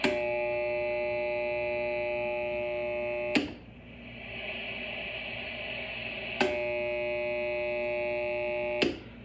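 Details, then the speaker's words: AM radio with a built-in ferrite rod antenna, tuned to an empty low frequency: quiet hiss jumps to a loud, steady buzz when a household light dimmer switch is turned on. The dimmer causes radio frequency interference. "pretty dramatic difference so a lot of noise comes from dimmer switches"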